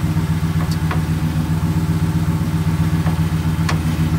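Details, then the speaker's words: Toyota Tundra 2nd gen, engine idling while turning the steering wheel: sharp isolated popping sounds, along with recurring misalignment; worn steering rack bushings, typical with high mileage, lift and big tires. "this sound a popping sound okay now i have the truck running and then just listen to the sound when i'm trying to turn the steering wheel"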